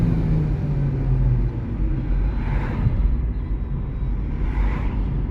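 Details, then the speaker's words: Renault Megane 3 with K4M engine that stalls at junctions or after revving: after a rev the idle sags and nearly dies before recovering. Owner suspects the cam phaser (timing) valve, which cleaning helped before but the problem returned after 5000 km. "оп почти заглохла буває глохне буває не глохне"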